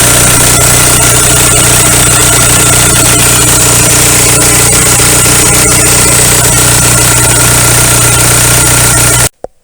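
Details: 2001 VW Golf TDI, ALH engine, idling after injection pump head plug seal replacement (fixing a fuel leak) and air bleeding: loud, even diesel clatter about four beats a second, steady until shut off; healthy idle.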